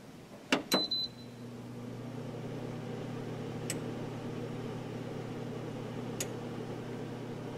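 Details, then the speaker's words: Geneva infrared quartz element space heater, electronic control, switched back on via button: two crisp relay clicks about a quarter second apart as watt meter reading changes, then steady low hum; normal switching, most likely into high mode. "you see that how like there were those two clicks and how the wall meter changed accordingly so that that's pretty cool yes this most likely is high mode right now"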